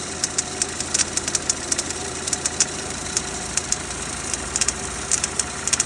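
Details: Renault Duster 2.0 F4R, 2017, just after a cold start: light, sharp, irregular ticking knocks about once a second over a hissy idle. The knock lasts about 2 minutes and then stops until the next morning; its source is unknown.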